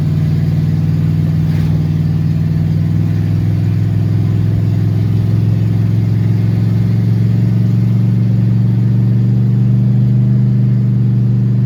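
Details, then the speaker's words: 1971 Plymouth Satellite wagon after professional transmission rebuild, driving around 50 mph: engine holds a high steady drone with no shift, automatic stuck without reaching third; temperature fine, oil pressure not regained. "Still hasn't hit third. And it still staying cool. Roll it here about 50. I don't have a clue what the RPMs are, but they're really high."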